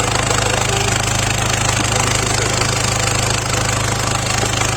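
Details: Skoda Rapid 1.6 CAY diesel (VW group), EGR pipe removed for testing: diesel clatter at a steady, slightly lumpy beat with no clean rev; EGR valve stuck open lets exhaust into the intake, so the engine stalls and won't take throttle; fix is blanking the EGR with a gasket plate.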